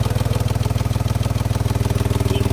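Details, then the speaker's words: Mahindra XUV 3XO, 3–4 months old, 5,606 km, owner complains of loud tractor-like engine noise: a heavy, fast, even throb at idle, about fifteen beats a second. The power belt is also mentioned, but the cause is not pinned down. "अभी इसमें एक समस्या आ रही है क्या है कि engine के अंदर नॉइस आ रही है मतलब कि आवाज बहुत लाउड आ रही है"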